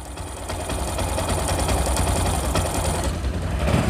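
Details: Old DIS135 motorcycle single-cylinder at idle: a light, fast tick ("tik tik") over a busy whir ("jhir jhir"); a top-end tick, cause not pinned down.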